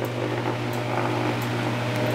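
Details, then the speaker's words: Fan motor (new condenser/blower type) simulated shorted run capacitor, both capacitor wires on one terminal: starts but runs much slower with steady low hum and laboured fan sound, heavily overloaded on amps, would overheat; shorted run capacitor. "now we'll uh simulate a shorted capacitor and all I've done here is put both of the capacitor wires on the same terminal see it started up up but you can maybe you can't tell it's running a lot slower than it was earlier"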